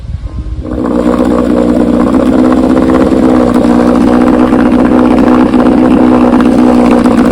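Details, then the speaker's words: 1968 Johnson 9.5 HP two-stroke outboard in a test barrel after installing a universal pulse fuel pump to replace a dead-diaphragm pump: starts, runs steadily with no misfires, four minutes fine, water pump working. "I ran it for 4 minutes and ran good. Water pump seems to be working."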